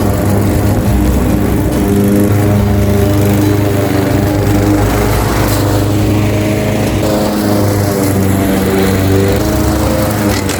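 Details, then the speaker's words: Craftsman 21-inch mower with 5.5 hp Honda GCV160 single-cylinder, reportedly not starting with a dry tank, cutting at level two: a steady, even drone holding constant speed through the cut, no misses or knocks. Runs healthy; technically nothing was wrong. "A simple fix. absolutely simple fix because there was technically nothing wrong with it. So, as you can see, it's now fully functioning lawn mower."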